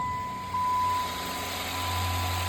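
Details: 2015 Chrysler 300C 5.7 Hemi V8 with five-speed NAG gearbox, after bottom-end repair and pre-oiling by cranking; settles into a low, even idle with no tapping or misses, running smooth; check engine light on.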